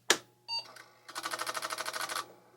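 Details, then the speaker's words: Franklin Ace 1000 Apple II+ clone floppy drive, clean inside, powered on with no disk inserted: sharp click, short buzz, then about fifteen even chattering seek steps over a second; normal power-up seek. "All right, no disc is in here. Let's see if we hear the regular Apple Seek sound on power"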